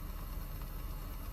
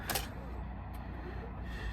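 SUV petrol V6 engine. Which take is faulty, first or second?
second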